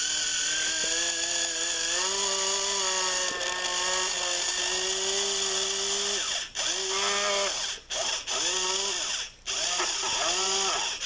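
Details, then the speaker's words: HiT Toys TrackMaster Percy toy train after motor cleaning and reassembly, tested on what the owner thinks is somewhat higher voltage than usual: high whine with wavering pitch and brief dropouts and stutters over gear buzz; rough-running, owner suspects voltage or needing break-in. "So it is working, but it doesn't sound too healthy. So it's, but also this is a little bit higher voltage, I think, than what these usually take. So it sounds a little bit weird right now, but we'll, maybe it just needs to break in a little bit."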